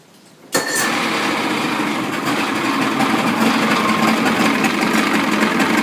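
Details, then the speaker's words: Evinrude outboard in a water bucket, started in neutral after throttle adjustment: fires on the first pull and settles into a steady, even buzzing idle with no misses or surging; running properly. "perfect. So every time the engine's in the water and you hear the idle and it's idling, that's okay."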